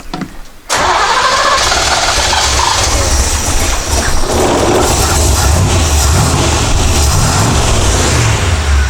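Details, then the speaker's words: 1967 Chevrolet Corvette V8 started briefly after fuel tank replacement and a homemade carburetor bowl gasket: catches after a short crank and settles into a rough loud idle; accelerator pump diaphragm leaking, fuel pouring out, leak itself silent. "So it runs, but fuel pours out, so we're gonna have to address that next."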